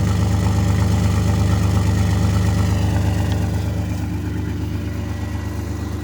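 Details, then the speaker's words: 2001 Chevrolet S10 Blazer 4x4 4.3 L with 165,000 miles, sat two years, running on two-year-old gas, oil pressure not great; smooth even low-rumble idle with no misses or knocks, no check engine light. "it's burning like a kitten running on that two year old gas that is insane"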